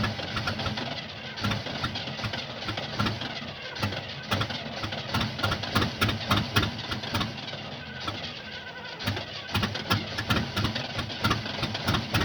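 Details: 1975 Oldsmobile that won't start: starter spins the engine in an uneven, chugging rhythm of about three to four turns a second, but it never fires; cause unknown.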